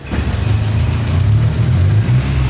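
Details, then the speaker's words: 1974 Mitsubishi Colt T120 (Colt Bagong) pickup, old four-cylinder engine running: deep, even note holding steady with no knocks or misses; engine still responsive and smooth, normal running. "Oh, masih bagus ya teman-teman, mesinnya itu masih responsif dan juga masih lancar ya teman-teman."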